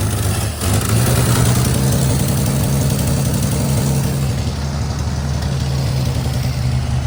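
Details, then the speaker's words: Abandoned 1955 Chevy 3200 truck running after about 50 years of sitting, muffler rusted out underneath, heavy smoke and dust blowing out: loud, low, fairly steady idle with a slight lope; engine running after long storage. "It's idling. There's less smoke. A lot of it's also going to be dust because the muffler is completely rusted out on the bottom."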